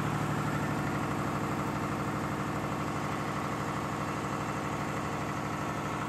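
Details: Air-cooled 109.5HP Lister diesel farm backup generator (about 100kVA), monthly check start: loud even beat about three firings a second with steady fan roar, no misses or knocks, over 90 dB; normal healthy running.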